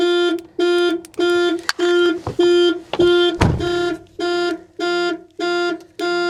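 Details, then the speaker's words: BMW listed as mechanically damaged, at a salvage auction, on a jump pack showing 11.6 volts: even on-off horn tone pulsing about 100 times a minute; the alarm went off while working with the key. "Okay, are we done playing now? So the alarm went off."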